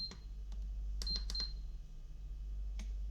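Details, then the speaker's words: Electric kettle that switches on but does not heat, set to 80 degrees on the bench: a few crisp clicks as the relay on the control board pulls in and drops out, switching normally with temperature. "Ese ruidito hace referencia a que este elemento que tenemos aquí, que se llama relé, ¿sí?"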